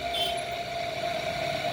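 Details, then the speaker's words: Newly assembled ceiling fan, test-run through a series connection, wired with the main wire, the capacitor starting wire and the running wire: an even, steady mid-pitched motor hum with no ticking or grinding. The fan runs smoothly. "तर आपण कापून चालू करून बघूया. पहिले लावताना सिरीजवर लावायचा, direct लावायचा नाही. पण एकदम व्यवस्थित पंखा चालू झालेला"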